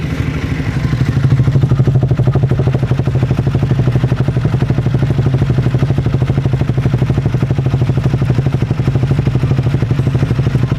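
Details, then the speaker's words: Triumph Speed 400 single-cylinder at idle, over 5,000 km, after a January 2024 ECU update for stalling; regular light tapping from inside the engine, louder than before, source unknown; engine tapping noise. "But 5000 किमी चलने के बाद मैं आपको बताऊ तो थोड़े से इंजन में भी आवाज बढ़ गई है किसी चीज की है वो पता नहीं बट अंदर से जो पहले आवाज आती थी उससे कहीं ज्यादा आवाज आ रही है इसके अंदर थोड़ी सी अब वो टपट की नॉयज है"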